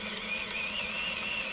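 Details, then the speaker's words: Battery-powered Femobook A2 coffee grinder on 10 g of very light roast beans at Turkish/ultra-fine grind; steady high motor whine over crunchy grinding hiss sags from its normal 60 to about 40-50 but pulls through, slowing under load without stalling. "so you can hear that it is slowing down the RPM it runs it 60 normally so it's dropping I don't know 50 40 some of that range as it hits the more difficult beans to"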